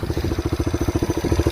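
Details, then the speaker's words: Kawasaki KL250 single-cylinder with donor engine, burns a little oil, idling after valve clearance was tightened for valve noise: thumping idle about thirteen beats a second with faint light clatter; residual mild valve tappet tick, better than before. "This one had a little valve noise. I loosened the valve, or I tightened the valve up a little bit. It's still a little tappy, but it's better than it was before."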